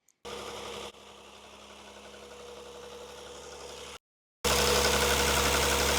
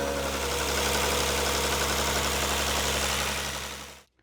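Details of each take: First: Rover 75 KV6 V6 at idle, before repair: steady idle with a fast, even light clatter, nearly four ticks a second, from the intake at the top of the engine, present whenever idling with low power; worn VIS intake flap actuator motors. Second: Rover 75 KV6 V6 after replacing a VIS intake flap actuator motor: smooth, even idle hum with the former intake clatter gone, then switched off; day-and-night improvement, healthy quiet idle.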